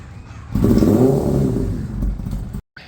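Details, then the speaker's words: 2018 Kawasaki ZX10-R rebuilt from a total, push-start attempt: uneven chuffing bursts for about two seconds, catching briefly then dying; nearly fires but won't run; owner suspects a damaged clutch sensor cable. "almost started it was was that close if you've ever started like a weed whacker or a lawn mower and you pull the cord and it spins around but doesn't start the first time that's exactly what it sounded like"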